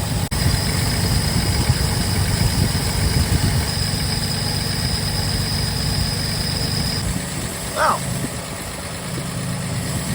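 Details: 1947 Plymouth Special Deluxe convertible, twin carbs, dual split exhaust: low, uneven, loping idle after mixture screws turned in from one and a half to about one turn; running too lean.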